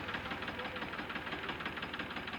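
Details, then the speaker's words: Tractor diesel smoking and with poor fuel economy: uneven, lumpy idle with a chuffing beat and missing pulses; running on only two cylinders, with an injector pipe found wrongly fitted. "मैं तो दुआ भी दे रहा है और tractor दो cylinder चल रहा है और दो सेंटर चलने की वजह से ट्रैक्टर दबी राय डीजल एवरेज भी सही नहीं आ रहा है"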